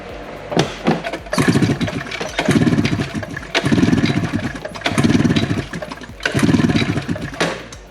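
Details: 1994-95 Ski-Doo Summit 670 two-stroke snowmobile, ignition unhooked, compression gauge threaded in after rotary valve reassembly: five even pull-start cranks, strong rhythmic chuffing, no spark; readings about 118-124 PSI, healthy consistent compression.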